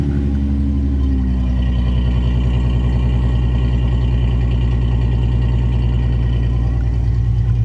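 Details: V6 Mustang, 146,402 miles, budget build with aftermarket exhaust, not run in months, fired up indoors beside a wall: deep, steady rumble settling after a brief rev, no ticks or knocks; nice tone, not loud but not quiet, healthy exhaust.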